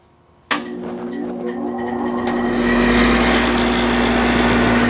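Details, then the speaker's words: AC condenser fan after replacing a bad contactor (240 V supply, thermostat on): after a moment of quiet the fan clicks on and spins up to a smooth, steady motor hum. "And I assume you guys hear that. It's running."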